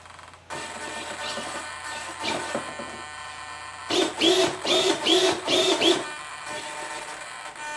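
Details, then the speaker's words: X24 AutoMatch servos on the elevator (channel 3), just after power-up: a constant high electric buzz with louder whirring bursts as the surfaces move. The binding comes from the hinge line fighting the linkages, not the matching, which is perfect. "it's a hinge line that's actually fighting with the linkages. It's not the matching."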